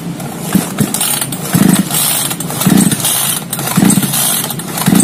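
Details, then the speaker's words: Small chainsaw that is hard to start cranked by pull cord about once a second with the switch on and choke pulled: brief chuffs but it never catches. "Saklarnya sebenarnya sudah menyala. Namun, mesinnya tetap tidak mau menyala. Tuas choke sudah ditarik. Oke, masih belum menyala."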